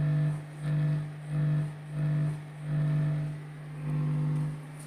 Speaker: Nah ini bisa sahabat ambil kesimpulan sahabat bisa ambil kesimpulan Bang yang menimbulkan suara dengungan itu ialah datang dari kabel seperti ini